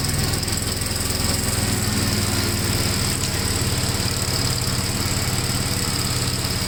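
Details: 1957 Gravely tractor mowing test: single-cylinder engine pulling steadily under mowing load, firm even beat, no misses or knocks; runs pretty good, normal running under load.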